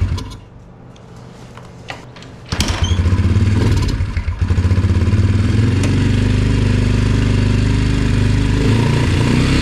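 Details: Yamaha TT-R 125 single-cylinder started on choke with stale, varnish-smelling fuel: uneven thumpy idle that never picks up cleanly, won't rev; won't idle once warm, must cool down; carburetor problems suspected.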